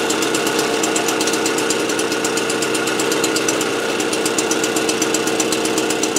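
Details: AV 89 two-stroke with an Ersal 70cc kit, after ignition repair and a correct-thickness head gasket, warming up before retorquing head and exhaust. Crisp, even buzz at a steady idle with no misses or rattles; healthy.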